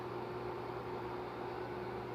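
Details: Opened Electrolux ICP30 induction cooktop (6300 W, 127 V) with a metal plate on the coil. A quiet steady hum with a faint fixed tone over soft fan hiss: the induction coil is energising normally, checked with an LED field tester.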